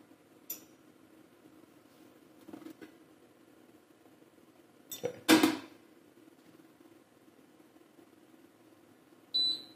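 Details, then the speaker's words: IKEA Tillreda portable induction cooktop at level one (about 150 W expected): a few quiet clicks and a weird ticking, possibly a self-test, then one sharp high error beep; cause unconfirmed. "okay so it does error out the ticking's like a test Maybe"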